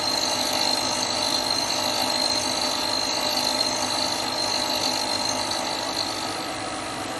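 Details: Hope Woodturning MK2 thread-cutting jig on a router at about 3000 rpm, male thread in beech, final 5th-click pass: steady high whine with a fine even cutting hiss, no chatter or bogging; normal cutting.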